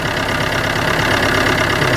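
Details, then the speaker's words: Car with a flat battery started using a battery booster: steady, even idle hum with no knocks or misses after the booster is disconnected. Normal idle. "quand vous voyez là le moteur qui tourne donc je vais retirer gentiment le négatif et le positif"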